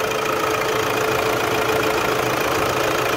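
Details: Toyota Hilux 3.0 diesel after injector replacement, cleaning and decarbonization: steady, even idle clatter about four beats a second, no misfire or stumble; healthy idle.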